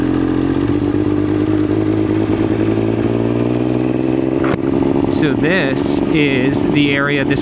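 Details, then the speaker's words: 2000 Triumph Daytona 955i with Power Commander, warm, ridden at low neighborhood speeds: low uneven drone with ragged stumbling beat; sputters at low speed, dies at idle, cause unclear. "motorcycle hates this low speed stuff. You can really hear it just sputtering."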